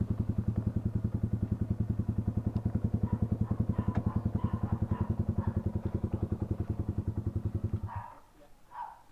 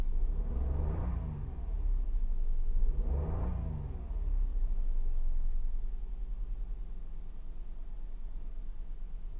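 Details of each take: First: Toyota Wigo petrol engine idling with a heavy, lumpy chuff about three to four times a second before shutting off: an engine misfire, repaired by replacing the ignition coil. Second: Toyota Wigo after ignition coil replacement for a misfire: two quick throttle blips, then a low, even idle with no missing beat.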